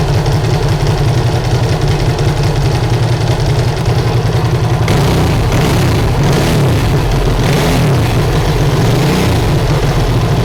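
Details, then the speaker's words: Ducati Hypermotard 1100S V-twin started right after a timing belt change, garage doors open: a loud, lumpy idle with a deep uneven thump and dry mechanical clatter, like a tractor or a bag of nails. This is normal for this engine. "i've forgotten how noisy these two guys are up to sound like it sounds like a what they sound like they sound like a tractor"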